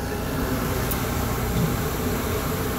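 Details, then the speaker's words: AAON unit supply fan after the Baldor fan motor's bad bearings were replaced: smooth, even air rush and low steady drone with no knock, squeal or grind. Normal fan running. "so I was totally normal now put the clip of what it sounded like this morning right here now compared to this much better"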